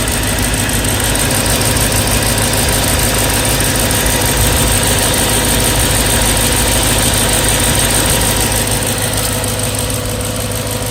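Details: BMW E92 M3 S65 V8 at 65,600 miles, oil changed 300 miles earlier: smooth idle with a quick, light tick of about three per second; louder cold, still present warm. Cause unknown.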